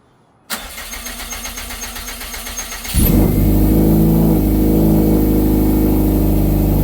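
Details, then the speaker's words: 2012 Subaru STI hatch, first start in 9 years after rebuild and engine reinstall: brief even cranking, then it catches cleanly and settles into a smooth, steady run with no knocks or misses. Normal running. "That sounds good. Sounds really good. Sounds really good. That sounds good as [ __ ]"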